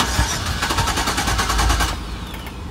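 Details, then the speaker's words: Chevy van towed in with a no-start, battery and fault codes fine: engine catches and runs briefly only while propane is fed into the air intake snorkel, then fades when removed; fuel delivery fault, suspected fuel pump or wiring. "all right so there you have it you can see that now watch what happens when I take the fuel away all right it th so you can see this is a fuel problem this me the ignition system is good mechanically it's sound this is a fuel issue"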